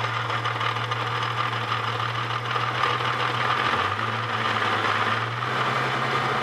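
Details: Holden VS Series 2 Ecotec petrol V6, about 400,000 km, at idle: steady low hum with a fast busy rattle that seems internal. Owner considering a lower-kilometre replacement engine; cause not confirmed.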